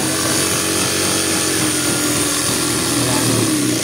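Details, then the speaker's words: Juki high-speed sewing machine after tightening the hose to cure a knocking noise inside: fast, even mechanical whir with a faint rising pitch and no knocking. The knock is gone and the machine runs normally. "Wala na yung lumalagotok. Okay lang, ganun lang."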